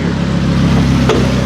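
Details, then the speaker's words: Wrecked Audi R8 rolling slowly on a temporary cooling setup before frame repair: a single sharp click over low rumble, seemingly from the back right; suspected loose wheels, one held by only three lugs. "oh you hear that click again what is that something in that back right isn't good obviously have some things to work out"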